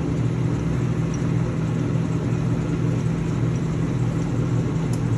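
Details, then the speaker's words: LeBlond Regal 13" x 30" engine lathe headstock running in low range at 45 RPM during a machining demo: even low rumble and gear whir at slow spindle speed, no ticking or knocking; normal gear mesh noise. "we're going to show the Machining operation in low medium and high range so you can hear the headstock uh currently it is in low range this is at 45 RPM"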